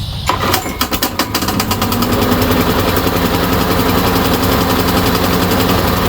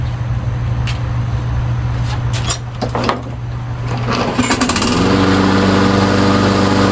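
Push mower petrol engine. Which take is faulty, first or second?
first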